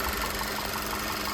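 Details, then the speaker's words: VW Tiguan that ran on 3 cylinders with EPC code after head port cleaning and new injectors, after swapping in spark plugs and injectors from a spare Tiguan: steady idle with even ticking pulses, no skips; no longer missing, coil or plug suspected. "it's not missing anymore."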